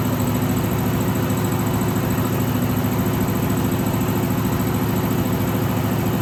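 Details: 1963 AMC Rambler wagon 287 V8, not started in a while, idling: thin constant high squeak over steady idle, first mistaken for a belt; left-bank rocker shaft oil-starved after its bolts were mixed up during valve stem seal job.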